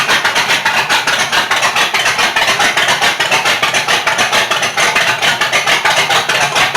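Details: Rat rod with 440 RV engine after cam install and 20-minute 2,500 rpm break-in: choppy loping idle pulsing steadily about two beats a second, strong and even; normal lumpy cam idle.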